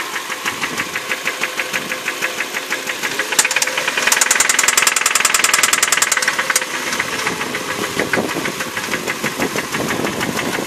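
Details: 2006 Hyundai Sonata petrol engine at idle: loud sharp ticking about three clicks a second, quickening when revved; began after running low on oil, worse after oil and filter change and engine noise additive.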